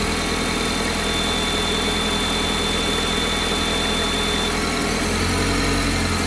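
Cold idle with a faint high whistle riding over the engine that drops away after a few seconds; odd cold-start noise, source unclear.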